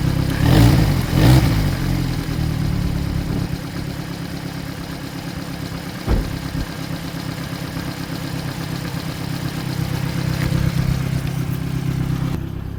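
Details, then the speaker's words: Vauxhall Corsa D 1.4 started during an oil service, idling: quick, uneven puffing tick riding on the exhaust note; the exhaust is blowing at the flexi pipe, and a full exhaust replacement is planned. "it's going to blow on the flexi. That's another going to be another video probably."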